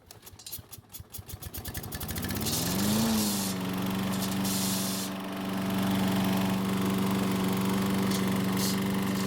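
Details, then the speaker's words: Troy-Bilt mower running with the recoil rope guide simulated a few inches lower on the handlebar: pull-start catches, then a steady, even drone with no chattering or rattle; the fix works and the mower runs normally. "so as you can see if we move the guide down just a few inches first you may not even realize that it's been lowered and secondly it seems to be just enough of a change that it's not going to make that terrible sound"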